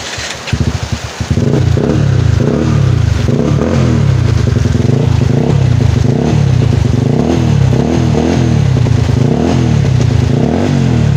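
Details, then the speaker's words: Rouser 135 motorcycle just after clutch lining replacement, started in heavy rain: engine catches and revs cleanly up and down, even firing, no knocks or rattles; feels strong with the new lining; cable stiff and needs replacing; normal revving. "Ramdam ko na malakas siya kasi bago yung kanyang lining."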